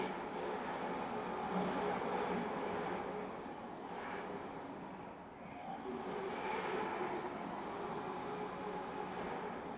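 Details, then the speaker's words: MJX 7304 Polo 1/7-scale RC car on foam tyres, second lipo, dry tarmac: steady harsh gritty whirring under held throttle that seems amplified by the resonating body; drivetrain noise source not found. "Ouais, il s'entend le bruit, hein. Je ne sais pas d'où ça vient. En plus, avec la carrosserie, on dirait que ça s'amplifie, ça résonne. Vous l'entendez, le bruit à l'accélération, là, quand je reste accéléré sur les gaz?"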